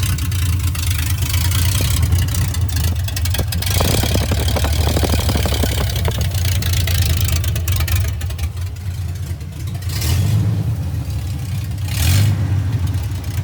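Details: First test drive of 1982 FJ45 pickup with freshly rebuilt 1977 Toyota 2F and H55F 5-speed: deep steady drone swelling and easing through the gears, no knocks or whines; driveline healthy; normal.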